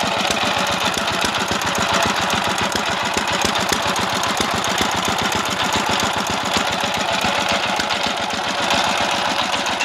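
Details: Dompeng S195 single-cylinder diesel for well drilling, test run after service (timing marks aligned), for smoke-from-ventilator and power complaint: fast uneven clatter about four beats a second, ragged firing; mechanic suspects gear set, rough running.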